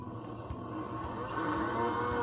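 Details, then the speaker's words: Playart HO 2-6-0 steam model locomotive motor bench-tested with wires hooked up during repair: faint smooth whir climbing in pitch as it spins up, steady with no catching; motor runs fine. "you can't see it it is spinning if you can hear it it's spinning yeah definitely spinning if you could hear it"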